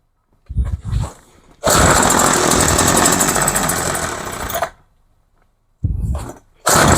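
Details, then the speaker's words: Craftsman hedge trimmer, 21cc two-stroke, after new fuel lines and carb kit, choke being varied: buzzes loud briefly, then cuts out and restarts in ragged bursts; needs adjustment, owner suspects a carb metering-side mistake. "Okay, so obviously it needs adjustment. Or I did something wrong in the carb."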